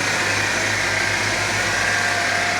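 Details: Vehicle idling right after a battery change, with the positive terminal reconnected first and then the negative: a smooth, constant idle with a steady hum and no ticking, misfire or hunting. The engine idles normally.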